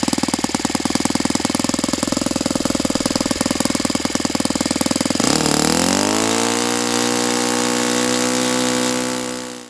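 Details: Saito FA-82a four-stroke glow engine after spring replacement, timing, valve lash and springs confirmed good, plug swapped to O.S. F: rapid crackling full-throttle firing settling to steady buzz, below ~9,000 RPM expected on what is probably a 14x6 prop; cause unclear.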